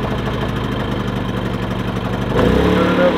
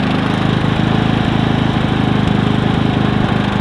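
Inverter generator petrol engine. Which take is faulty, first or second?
first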